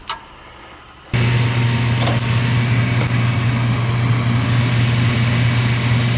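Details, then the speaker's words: Gas furnace with no heat that runs a couple of minutes then shuts off, breaker flicked on: after a pause the inducer starts with a steady low hum and whoosh. It runs fine here; a flame sensor is suspected, and 26 volts was measured at the vacuum switch. "she says she went down there and flicked it and then it would run for a couple of minutes and then shut off so it might be a nter this bad a well flame sensor maybe"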